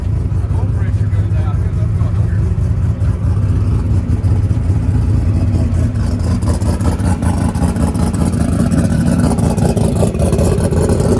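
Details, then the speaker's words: Ford Coyote V8 with 107mm turbo, revving cleanly with crisp throttle response and no misses after an injector change, base fuel pressure correction and slightly more fuel, which cured earlier lean popping; normal revving. "all right so we got it running all we did was change the in he changed the injector"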